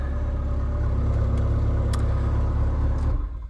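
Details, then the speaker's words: Peugeot 306 S16 at 235,000 km, after replacing the in-tank fuel pump/gauge module: ignition on, pump primes, then the engine starts and revs smoothly and shuts off, with no misfire or stumble. "je mets le contact je devrais entendre ma pompe voilà donc là il tourne un moment parce qu'il faut qu'elle réamorce tout le système voilà et si je démarre ça devrait y aller"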